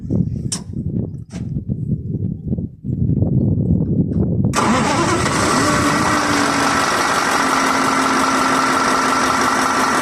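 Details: 2022 KamAZ crane-manipulator truck diesel, injectors swapped from a working truck, no scanner error codes: after some clatter of handling, the engine cranks, catches and settles into a steady, even idle with no knock left.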